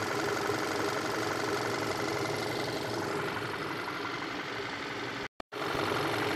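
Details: 2014 Volkswagen Tiguan 2.0 TSI idling during a coolant drain, fill and bleed: smooth, even four-cylinder hum with no knocks or stumbles, steady coolant flow, and the cooling fans come on.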